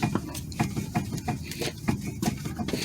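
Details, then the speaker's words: Vehicle with a big clunk while driving; the tie rods are rocked by hand: dull, irregular clunks about two or three a second, coming from the inner tie rod with too much play, not the outer; a bad rack and pinion is suspected. "Alright, can you hear the clunk? This is the clunk here. See, I'm moving the outer and inner tie rod, and it seems like the clunk is coming from inside and not from here, from outside."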